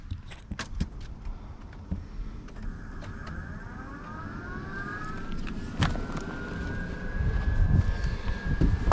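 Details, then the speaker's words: 1990 Chevy R3500 squarebody crew cab dually after installing a new aluminum radiator with electric fans on temporary wiring: clicks, then a rising whir settling into a steady hum as both fans start and run properly, switched via the HVAC switch. "I hear the roaring roaring of fans Yep they're both working as they should"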